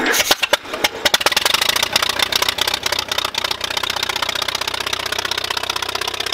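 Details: 1951 Allis Chalmers WD tractor first start after sitting an estimated 10 years or more, new coil and points fitted after a no-spark problem; engine catches with loud uneven popping, then settles into a quicker, steady rattle, running normally.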